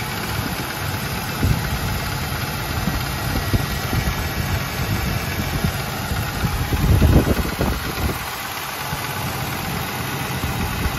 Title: AMC 360 tapping noise. 1984 Jeep Grand Wagoneer